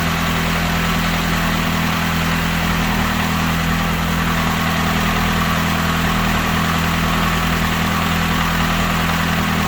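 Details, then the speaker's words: Saturn S-Series with a rear-mount turbo, first start, PCV valve left off, fuel leaking at the injector/fuel rail joint: steady, even low idle with no knocks, misses or hunting; normal idle. "coolant Le let me see what it is but that sounded good"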